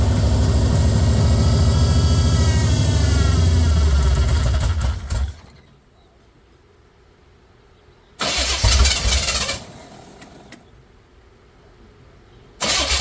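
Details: Chevy 454 swapped into a 1971/72 Pontiac LeMans, first start on open headers: loud, lumpy V8 rocking hard and unevenly before shutting down.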